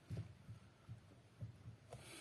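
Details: Lada Granta at about 90,000 km, steering column underside exposed: dull low knocks about twice a second as the wheel is rocked, from the loose joint between steering cardan and shaft, possibly a slackened bolt.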